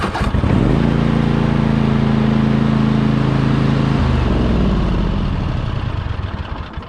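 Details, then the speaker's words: Toro TimeCutter zero-turn mower after replacing the starter and starter solenoid, which the owner now thinks weren't needed: brief crank, catches right away and runs steady. Starts better than before, when it took two tries. "But it does start a little bit better. It was a little finicky. You know, you would have to hit it like twice."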